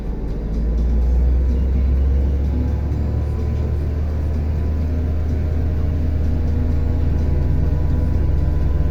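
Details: Car on a workshop lift with the engine revved and wheels spinning: a deep steady drone that holds as the wheels spin up. Worn right front wheel hub bearing hum.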